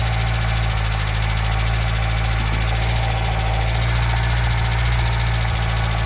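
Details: Nissan Micra K10 after the carburetor auto choke was repaired, warming from cold: deep, steady idle hum with no misses or knocks. It sits on a raised choke idle, and the choke later opens.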